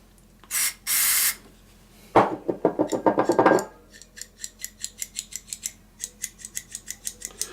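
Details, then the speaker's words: Lafayette/Univox U65RN solid state amp under repair: crackly bursts and rapid gritty clicks as the knob is worked back and forth, grittiness getting louder as it loosens; dirty scratchy potentiometer needing conditioner. "It's like a grittiness. It's definitely loosening up, but man, it's getting louder. The grittiness is."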